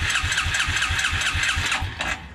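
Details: 1996 Suzuki King Quad 300 4x4 ATV: steady, even cranking pulses about four per second for two seconds, then stops without firing; crank no start, carburetor missing its main jet.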